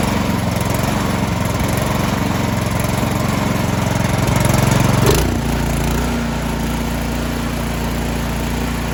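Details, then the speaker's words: Troy-Bilt 2410 snow blower, newer one-year-old single-cylinder engine stored all winter that ran rough at full throttle, after quick carburetor cleaning: loud, even drone at full throttle, settling cleanly after throttle change with no misses or surging; running smooth. "all right once i put that gas all the way up it was running pretty smooth um so i think we're i think we're good to go"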